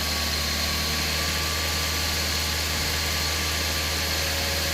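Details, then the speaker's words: Toyota Vios 2007 at idle with AC on after compressor replacement and system flush; ambient about 30-31°C, fan speed 2 check passes, vent about 5.1°C at idle. Steady low hum with smooth blower hiss, no rattles; AC healthy. "ฮะโอเคครับถ้าStreet2สั่งงานระบบทำงานปกตินะครับ"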